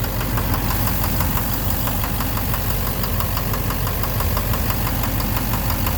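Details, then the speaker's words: 2009 Chevrolet Silverado 3500 Duramax LMM diesel, 59,900 miles, idling: heavy, irregular knock about two a second, heard from underneath near the oil pan; owner suspects the rear of the bottom end, though oil analysis shows no abnormal wear metals; began intermittently at 57,500 miles. "Sounds sort of like the bottom end. I don't know. Something. Like something in there. The back of the bottom end."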